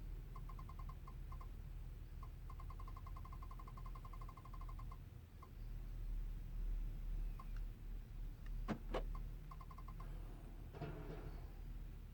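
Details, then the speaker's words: 2014 GMC Sierra 1500 that won't start; battery reads roughly 12 V. With the key on and the engine not cranking, short uneven bursts of mid-pitched chirping repeat about twice a second. The noise continues about seven minutes in, with nothing being pressed. "not sure if you all could hear that sound coming up on seven minutes and I'm not even pressing it and making the noise"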